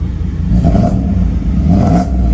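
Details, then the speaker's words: 1995 Mercedes S500 W140 after cleaning distributor caps and rotors to fix a misfire: two smooth throttle blips, clean rise and fall, no stumble; idles much better, throttle response slightly hesitant, fuel filter possibly due. "it does seem to be idling really really well right now way way better than it"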